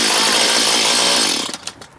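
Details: Stihl MS211 C chainsaw with easy-start: crisp high buzzing run about a second, then clean drop-off; starts and runs normally.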